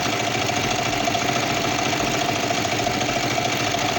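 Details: Kawasaki Vulcan 500 twin at working temperature idling steadily at a quick, slightly uneven pulse with no knock, before carburetor synchronization with a vacuum gauge.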